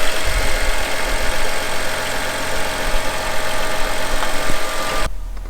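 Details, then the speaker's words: Ford F250 6.0 Powerstroke diesel bought from Copart, during rebuild: starts right up and settles into a low, even idle rumble, no stumble or knock, no smoke; check engine light apparently still on, many random codes. Normal idle. "Well, it started right up and it sounds normal. Got the engine light, it looks like, still. Well, everything sounds good. It's idling good."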